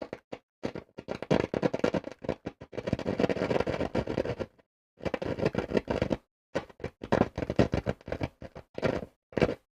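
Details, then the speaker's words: Hacker Herald RP30 radio with a short and DC on the amplifier: no stations, only irregular bursts of scratchy crackle and pops from the volume control with silent gaps; a fault in the audio stage. "as you can hear no surprise absolutely no stations and a furry scratchy volume pop"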